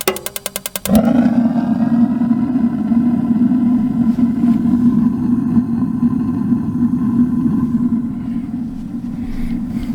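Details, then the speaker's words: RV water heater in a living-quarters horse trailer during dewinterizing, gas lines bled of air: quick igniter clicks then burner catches into a smooth, even roar with blue flame; lit and healthy. "Could y'all see that? It's nice and blue. Bet it is. I'll get down there and look. Maybe. Sounds good."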